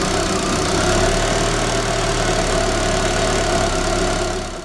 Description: Una falla posiblemente en el encendido de un Daewoo Espero 94' 2000 CC TBI automático.La falla solo ocurre en frio, tiende a detenerse.